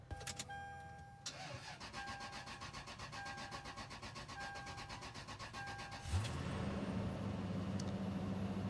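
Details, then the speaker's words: Lexus GX470 that died while driving; owner suspects the alternator. Slow, labored cranking at about four turns a second for several seconds on a jump start from an Explorer with jumper cables, then it catches. Weak battery, roughest start ever. "that was the roughest start i've ever had in this vehicle but it's running"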